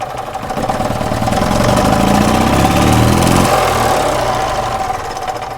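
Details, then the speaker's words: Small single-cylinder engine burning oil from worn valve seals, run in neutral with old plugs: revs climb lazily and fall away; owner suspects oil-fouled spark plugs. "You can kind of hear how it's not revving up real quick. So, that makes me think that the plugs are getting fouled out."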